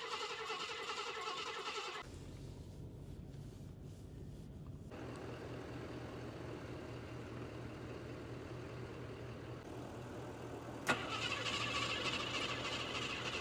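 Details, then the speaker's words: Cheap project vehicle, started at idle: after a brief start it settles into a lumpy, uneven beat with a hollow exhaust note; it runs rough, cause unknown. "So let's start it up first so you can hear it run and try and drive it up there. It doesn't run very well currently."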